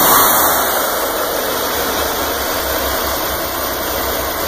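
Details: Corvair Greenbrier flat-six running after rebuild: steady, even hum with a fast, smooth beat and constant pitch, no knocks or misses; normal running.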